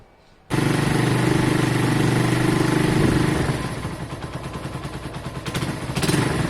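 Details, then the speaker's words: Keeway motorcycle, just started before letting it settle and changing oil: fires and idles with quick fairly even light ticking over the exhaust; tappets sound loud. "when it sailed earlier was it at the top the tablets were a bit loud weren't they just hear them"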